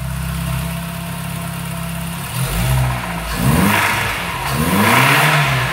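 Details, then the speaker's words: 2002 VW Gol 1.0 8-valve idling then revving: a heavy, uneven knock deep in the bottom end that climbs with revs; a spun bearing is suspected from the intensity, not confirmed. "mais um motorzinho rajando batendo parte de baixo agora não igualzinho o famoso até mil né 1.0 8 válvulas um golzinho spashion 2002 pelo e pela intensidade do barulho me parece ter virado bronzina né"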